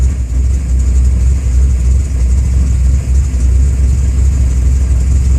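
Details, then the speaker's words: Car with a newly installed FAST fuel injection system, warmed up: low, heavy idle sags and dips unevenly as if about to stall, running rich and flooding with O2 reading around 10.5 AFR. "now it sounds like it's gonna quit on me because it's flooding"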